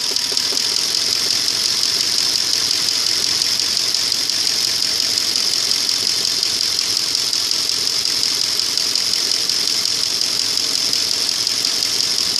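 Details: 2002 Audi A8 quattro 3.7 automatic, hot engine idling in D or R: fast, uneven ticking knock about three beats a second over a hissy idle; knock vanishes when driving, unchanged three years, no fault codes, source unknown.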